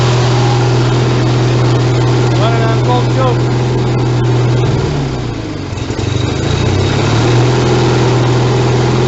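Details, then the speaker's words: YTH 160CR riding mower small single-cylinder engine, cold start on choke with little throttle, no muffler: loud, raw, rapid barking exhaust, stumbles briefly and recovers; running without muffler. "The old cold start without the muffler touch. Sorry, but that's just the way it goes."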